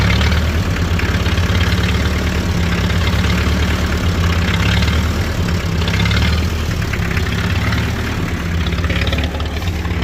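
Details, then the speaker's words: International Harvester B275 diesel tractor, very cold, after bleeding the fuel system: heavy idle swelling and sagging under once a second, never settling; a hunting idle that seems to improve as it warms. Owner suspects the diaphragm. "basically if you can still hear it it's kind of hunting still um so that's been the issue that I've been fighting it seems like it gets better the more it warms up but right now it's cold as all get out"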